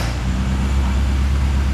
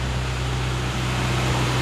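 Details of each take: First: 1974 Mini Cooper, manual choke, after fixing spark grounding: small four-cylinder starts easily and idles with steady low even rumble, no misfire or rattle; runs well, owner thinks a tune-up would help. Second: 1974 Mini Cooper idling: steady fast even hum that won't drop to idle because the misadjusted choke cable, pushed in, doesn't return it; must be dropped manually; throttle cable JB welded.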